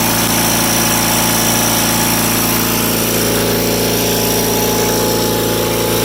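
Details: Rare factory-built Cub Cadet garden tractor engine at wide-open governed speed of 3600 rpm: steady even high-speed drone with no misses or surging; runs smoothly.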